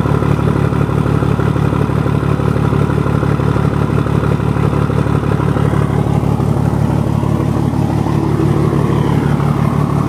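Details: 1975 Scania truck diesel just after fitting the cylinder heads, started on a cold day (about 10 °C); oil pressure 7.5 and holding: deep, even rumble at a steady beat with no knocking or stumbling; clean idle.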